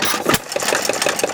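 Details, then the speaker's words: 1919 Domestic side-shaft hit-and-miss engine, timing slightly advanced: light metallic rattle ticking evenly several times a second over the slow thump, traced to a loose nut and bolt up top; some connecting-rod big-end clearance also audible. "You hear a little rattling, but then Mike said, show him where that rattling"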